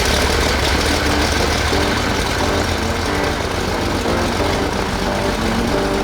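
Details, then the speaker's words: Trinidad TB20 aircraft engine, restarted after 15 years grounded and fuel-leak repairs, idling right at 1,000 RPM: steady, even, smooth beat with no knocks, stumbles or hunting; normal healthy idle. "It sounds really good. Like everything is perfectly perfect in here. Nice and smooth."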